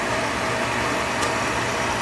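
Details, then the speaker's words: Oil furnace restarted with the reset button after running out of oil: steady motor and blower hum with no combustion, as no oil is getting through, probably due to air in the line. It shuts off after 30–45 seconds without sensing a flame. "It's running, trying to go through, but no oil is going through the system, probably because of the air bubbles."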